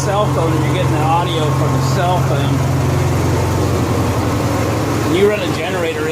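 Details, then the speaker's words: Honda EXW171S welder generator, sat in a barn over 5 years, run indoors after choke warm-up: steady, quiet low hum with an even beat and no knocks; normal running, healthy. "it's real quiet we warmed up in the choke code throttle mode think I'm happy for $100 investment"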